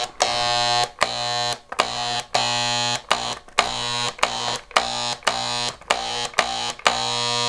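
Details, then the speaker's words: Harbor Freight electric paint sprayer gun, similar to Wagner guns, after a deep clean and reassembly with the cleaned atomizer, cone and pickup tube, loaded with paint. A harsh, steady, high-pitched buzz in half-second trigger bursts, each cut cleanly; working properly. "Then you can load your paint and pull the trigger. She's working. That's what it should sound like."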